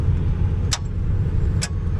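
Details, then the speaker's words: Overland vehicle on a trail, clutch pressed to start, battery reading about 12 volts and dropping: two sharp clicks over a low rumble, no cranking; starter clicks without turning the engine, suspected dead starter. "That sounded like it's got no power. That's weird. That sounds like a dead battery, but we have 12 volts."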